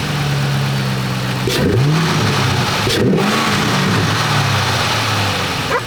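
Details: 3-valve Ford Mustang with newly installed Roush cold air intake: steady idle broken by three quick throttle blips rising and falling cleanly, no stumble or rattle; revs healthy.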